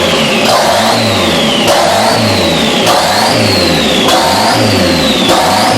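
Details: Newly built custom engine in a 1987 Dodge Daytona Shelby Z, first start: revving up and down in repeated blips with a hissy, uneven edge, from a massive vacuum leak caused by two unplugged holes in the intake plenum.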